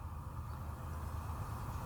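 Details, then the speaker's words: BMW E90 335i after coolant expansion tank replacement, bleed procedure run with ignition on, heater high, pedal held 10 seconds: electric coolant pump steady low hum with faint pulsing, cycling fast and slow, no rattle; normal. "now i'm going to walk around because you don't really want to close the door i think it stops the process you can hear it running and it kind of runs on a cycle"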